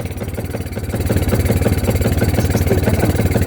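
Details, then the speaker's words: Kawasaki Barako 2 single-cylinder revving with an uneven, stumbling beat that stutters as throttle is added while the voltage reads up to 16 V (suspected overcharging stator/charger); engine misfire under throttle. "Oh 16 na yan ah. Palyado pa."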